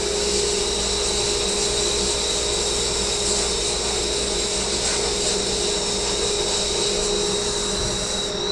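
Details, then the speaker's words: Harbor Freight dust collector added to a blast cabinet, running during blasting of a corroded bare aluminum wheel: steady even motor hum and fan tone under blasting hiss; quiet, working normally. "But I can say that that dust collector's doing its job. You hear it's pretty quiet."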